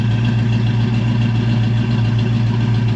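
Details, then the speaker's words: Procharged black coupe, recently changed injectors and retuned, idle tune still in progress: deep, steady idle of about three and a half pulses a second with mild lope; sounds even and healthy, more chop coming. "Runs great, it freaking idles great. Like, we're gonna work more on the idle. It's not camming quite as hard."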